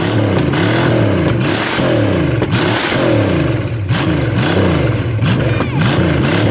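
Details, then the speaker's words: Chevy small-block 305 junk engine with carb and HEI distributor (replacing a points distributor that wouldn't time), run briefly with no coolant: deep V8 rumble rising and falling with throttle blips, firing steadily with no misses, flames from exhaust; runs and revs healthily. "i didn't want to run it too much longer because there's no water in it it sounds good baby"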